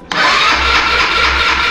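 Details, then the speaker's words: Italika TRN-150 motorcycle, earlier only clicking from a low battery, now jump-started with cables: starter churns steadily with a rhythmic low pulse, but engine never catches; cranks without firing because there is no spark. "Pues marcha, como pueden ustedes checar, sí da, no enciende, fácil."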